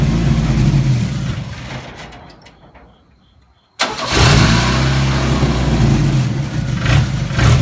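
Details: Chevrolet S10 cranks, fires and settles into an uneven, lumpy idle with a wavering beat, with engine hesitation. Rough running, cause not identified.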